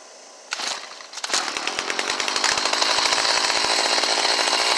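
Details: Stihl HS45 hedge trimmer, previously hard to start when cold, after the fix; choke on, primed, pulled, then choke off. It catches with a crisp two-stroke buzz, building to a steady high rev with even firing, running properly though low on fuel.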